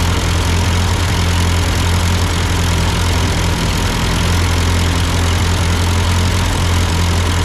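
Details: Ford 8N tractor at idle with no load, just after a carburetor adjustment. It had sputtered uphill, blamed on a cheap Chinese carb; an old Marvel-Schebler ran fine. Even, smooth firing beat, no misses, knocks or surging: normal idle.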